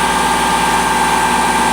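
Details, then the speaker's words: Lexus LS400, owner thinks 1997, short run with no coolant: even, steady idle with a smooth humming tone, no misses, knocks or hunting; running cleanly. "That's a shame, man. Really, that's a shame cuz she runs like a top. She really does. She runs really good."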